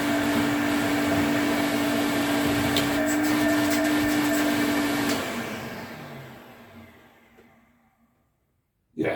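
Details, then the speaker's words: 1980s Electrolux Twin Turbo 500-series exclusive (1988 Z517 or 1989 Z521) with a 550 W motor, on a quick run test. Clean, steady motor hum for five seconds, then a smooth wind-down after switch-off. Healthy motor with good suction. "that sounds all right. No frrills, but then no disasters either."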